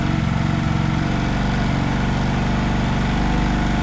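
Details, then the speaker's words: Honda Vario Techno 110 carburettor scooter, CVT cover off, idling: the belt drive whirs and rattles over a lumpy single-cylinder idle while the rear wheel turns. The owner suspects a too-soft centre spring. "Kenapa ban saya muter Ya itu kelihatan karena mungkin ini versi centernya terlalu apa ya terlalu lembek jadi nanti bakal saya kasih sedikit biar nggak muter kayak gitu guys"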